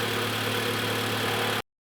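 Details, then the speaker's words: 2015 Mitsubishi Outlander 4B11 2.0 automatic, about 200,000 km, after repair for piston slap knock and oil consumption: smooth, quiet, even idle with no ticks or knocks; normal running. "и совсем другие звуки Он издаёт кто-то хотел послушать слушайте работает ровно работает тихо"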